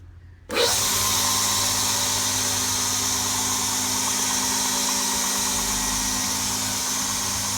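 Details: Homebuilt multi-speed, single-phase 72x2 belt grinder running with the motor in its horizontal position, with a steady hiss and whir from start-up and no knocking or chatter. It runs normally.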